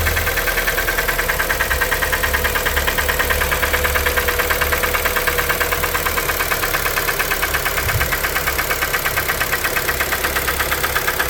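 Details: 2012 Kia Forte 2.0L at idle, knock started around 166,000 km: light regular tapping about three per second from the bottom end; suspected piston slap, replacement engine planned.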